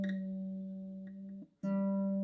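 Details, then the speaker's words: Kala KA-SA-B solid acacia baritone ukulele with high, poorly cut nut: plucked note drops out then sharp ping as string jumps in its slot, string binding in the nut while tuning. "yeah that's not [Music] a lot of pinging so this is not a very very well cut nut"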